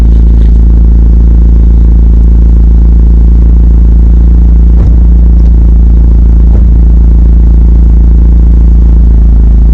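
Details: Toyota MR2 Turbo 3S-GTE with a small crack in the block at cylinder 3: deep loud exhaust drone with uneven stumbling beat and pops, misfire heard in 1st and 3rd gear.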